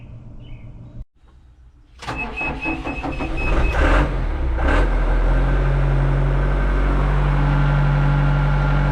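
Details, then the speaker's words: John Deere 310D backhoe diesel with Stanadyne injection pump, after replacing the fuel shutoff solenoid for a crank-no-start: short crank, fires within seconds and settles into a steady, even idle with no misses or knocks; normal start after repair. "that wasn't too hard to start all right let's go get it hot it seems to be working great now"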